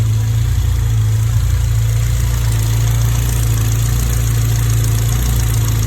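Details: Honda B18 "race" engine from eBay, first run before mapping, fuel pressure about 50 psi: deep even idle, steady low thrum, no misses, knocks or ticks; no smoke or leaks, healthy.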